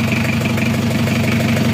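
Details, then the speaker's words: Isuzu Panther diesel running on a stand before reinstallation, after a cracked cylinder liner was replaced with a used liner to fix blow-by. Loud, steady idle with an even beat and normal clatter, no knocking or puffing; blow-by is gone. Normal idle. "mesinnya sudah hidup sudah aman gak ngobos lagi ini siap dinaikkan mesinnya siap dinaikkan oke"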